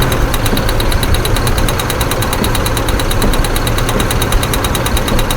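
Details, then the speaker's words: 2008 Ford F-150 4.2L waste-spark ignition, idling: rough, lumpy idle with a sharp tick about eight a second; two-cylinder misfire on cylinders 3 and 4 from a failed PCM driver for coil B, despite new plugs, wires and coil packs. "We have a driver issue for coil B3, which is cylinders 3 and 4, and we're going to identify the process going through this."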